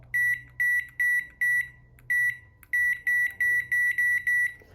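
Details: Crisp high-pitched keypad beeps, about a dozen presses in five seconds, each answered cleanly on a microwave control board that earlier would not trigger its relay (no heating); after the relay fix, the board responds normally and a 5-minute cook is set.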